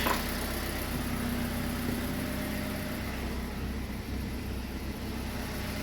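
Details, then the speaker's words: Kia Rio G4LC engine after rebuild, running after an earlier no-oil-pressure scare and a re-tightened exhaust manifold; no warning lights. Smooth, quiet, even idle with no knocks, ticks or misses: normal. "it's running everything is running look at that there no lights that this Tru so yeah we're good to go just listen to that just listen to that quiet"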